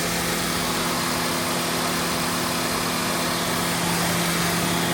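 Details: 2014 Honda Odyssey with 202,000 miles, just after water pump and timing belt replacement: steady, even idle with a smooth low hum and a faint high whir, no knocks or ticks; engine runs healthy.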